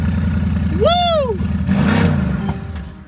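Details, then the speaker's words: Wrecked Mercedes-AMG GT being rebuilt, first start after replacing a part browned inside, possibly by the airbag deployment: engine catches, flares, then settles to a steady burbling idle; runs normally, possibly aftermarket exhaust, downpipes and tune. "Wow. The car fired up and runs, guys. Everything on it works. No issues."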